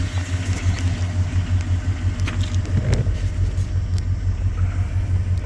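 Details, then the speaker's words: 1989 Jeep Grand Wagoneer, freshly rebuilt AMC 360 V8 with Holley 2300 EFI fuel injection, new rear main seal, 136,949 miles, hood raised: deep, even, quiet rumble with steady loping beat, no knocks or rattles. Normal idle. "And this engine's very quiet. We've added a lot of air conditioning components, a lot of new parts."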